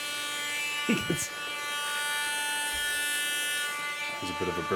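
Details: 2019 Acer Predator Helios 300 PH315 laptop: harsh, buzzy whir with steady high-pitched tones and a bad smell; failing cooling fan bearing, fixed by replacing the fan.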